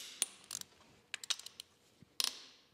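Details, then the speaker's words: Ford 302 V8 budget rebuild: short, sharp creaks and squeaks in bursts as a head stud nut is torqued, from thread friction. The torque wrench is not the source, showing why threads and nut seat should be lubricated. "you guys hear that that is not the torque wrench that is the sound of the frck that is uh coming into play here that is a great example on why you should Lube the threads when torquing these down"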